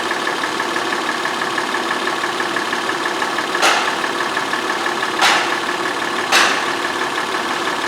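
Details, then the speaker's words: 2004 Honda Pilot 3.5 V6 with a flashing engine light and misfire codes for all six cylinders: steady, even idle with no stumbles or skips, only a few stray clicks; the engine does not feel like it's misfiring at the moment. "oddly enough this engine does not feel like it's misfiring now"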